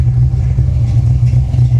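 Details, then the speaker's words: 1989 Fox-body Mustang GT V8 with major low compression: short rev with a choppy, stumbling exhaust pulse instead of an even beat, misfiring as if running on five cylinders, yet still holding an idle. "even running on five cylinders [Music] she still runs relatively well and can hold an idol yeah"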